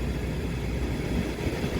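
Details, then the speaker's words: Old Trane gas package unit after a no-heat lockout with a rusted igniter mount: time delay, motor, igniter, then gas valve light-off. A steady fan and burner rumble with no sputter or flutter; smooth fire, gas pressure watched at negative 0.1. "it should start up nice and smooth so it's going to go through its time delay run the motor and we'll get an igniter and a gas valve shortly and we're just going to watch our gas pressure a nice smooth fire"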